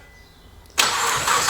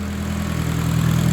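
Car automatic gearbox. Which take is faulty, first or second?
first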